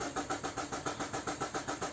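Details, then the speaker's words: Renault Mégane 2 1.5 dCi diesel: long starter cranking at about six compression pulses a second with no firing; glow plugs (preheating) to be checked, cause not confirmed. "Voilà, je mets le contact. Hop, j'essaie de démarrer. À galère, à pagaille, à veut pas."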